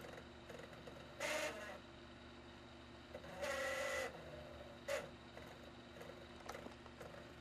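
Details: Xbox 360 DVD drive after reinstalling the spindle's washer/clamp piece, which the drive magnet had pulled off, causing grinding and unplayable discs. Brief whirring spin-up and seek bursts with no scraping or grinding: normal disc spin after the fix.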